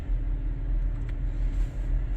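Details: 2021 Chevy Trailblazer started after coolant flow control valve replacement, pump learn and coolant data reset, heat and fan on high: steady low idle rumble with an even tone and no knocks or squeals, running normally.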